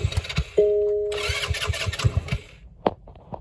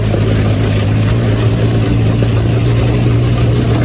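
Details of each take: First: Hammerhead GTS 150 GY6 scooter engine just big-bored: starter whirs and engine turns over in quick uneven puffs but never catches, because the spark plug is not connected. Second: Hammerhead GTS 150 go-kart GY6 single-cylinder after a 155–160 big bore kit install, previously smoky, overheated and down on power. Smooth even drone stepping up to a higher steady rev, no misses or knocks. Normal running, much faster now.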